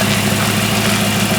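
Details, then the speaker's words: 1940 Ford Tudor street rod V8 with new torque converter, idling in drive (previously died when put in drive): low steady rumble holds an even idle without stumbling; normal idle in gear. "it runs great shifts amazing John your torque converter is great"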